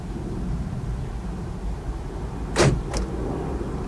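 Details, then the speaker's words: Chevy Trailblazer (GM) key fob programming, lock and unlock held on the remote for 20–30 s: quiet cabin, then sharp actuator clunks as the locks cycle. Normal lock cycling confirms the remote is learned. "I'm gonna wait about 20 to 30 seconds and you'll hear the lock cycle."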